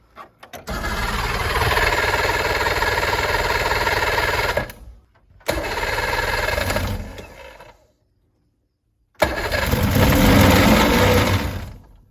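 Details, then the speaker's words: 1980s boat's 125 hp four-cylinder two-stroke engine; three crank-and-catch bursts, each into a strong, even buzz before cutoff; motor sounds solid, though the output shaft can be heard jiggling. "it runs good I can definitely hear that output shaft jiggling down there but motor sounds solid"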